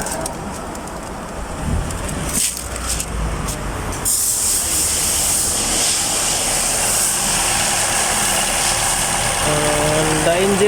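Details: 2020 Toyota Camry Hybrid with a cylinder 4 misfire, engine vibration and rough idle: uneven, shaky idle pulse; the spark plug tested good, so the GDI injector was removed to be cleaned as the suspected cause.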